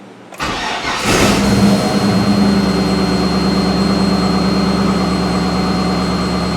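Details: LS-swapped Mazda B2200 after replacing a failed Bosch 044 fuel pump, relocated flush with the tank bottom: pump primes, brief cranking, then engine catches cleanly and settles into a steady, even idle; starts and runs fine.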